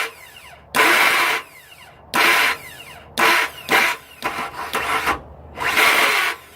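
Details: 2002 Ford F-150 XLT SuperCab, 4.2L V6, 2WD, automatic: repeated high metallic grinding/whining bursts as if the starter isn't fully engaging the flexplate. The engine won't start until the crankshaft is turned manually with a ratchet; the cause is suspected, not confirmed.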